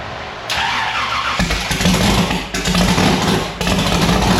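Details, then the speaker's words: Race car with newly installed 1150cfm Pro Systems carburettor on E85: short crank, then a loud, choppy idle that surges and dips unevenly, sounding violent; rough lumpy idle. "All right, guys, there you have it. Annabelle started, it fired. It sounds pretty violent."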